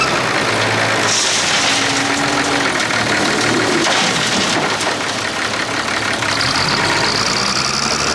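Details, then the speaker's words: Clark Michigan front-end loader diesel working under load: ragged, stumbling beat with one cylinder missing; a cracked injector line on number 6 of the inline injector pump leaves that cylinder dead. "Alright everyone, you can hear that miss in it when I'm working. It's number 6 on the inline injector pump there. I don't know how it broke."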